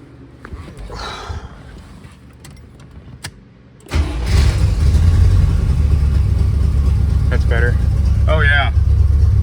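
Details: Either the 1980 Corvette or the 1983 Caprice being repaired for sale, restarted after the belt was refitted: quiet at first, then it catches and settles into a steady, even run with no rubbing or knocking.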